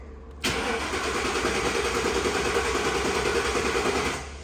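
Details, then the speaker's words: 1960 Ford F100 panel truck with Crown Vic engine swap, wiring being redone, dash lights on, fuel pump heard: starter churns steadily about four seconds, never fires; crank-no-start, owner suspects keyless-entry security system, grounds also unhooked. "I bet it's something to do with the security, because I think that's what that is. This had keyless entry, and I bet that's it. Yeah, she ain't getting no fire."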